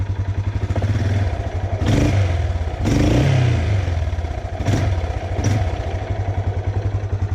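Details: Older Yamaha Grizzly 600 ATV, warming up after an oil change to thicker 15W-40 Rotella synthetic (was 5W-40): even single-cylinder thump at steady idle with a few throttle blips, no knock, rattle or oil drips. Normal idle.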